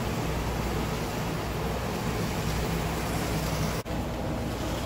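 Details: Bachmann HO scale PCC trolley rail buses bought used, motors cleaned (one fried motor dealt with): steady low rumble with even motor drone, no catches or stutter; smoother and quieter once up to speed.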